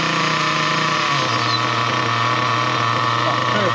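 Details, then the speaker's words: Nitro RC car engine after tuning the low speed needle: steady, even high buzzing idle with constant pitch, no surging, sputtering or dying; pinch test raises rpm then shuts off at 4 seconds, mixture well set. "Perfect. That's actually bang on. Now, that is really, really good. It's idling nice. It sounds good."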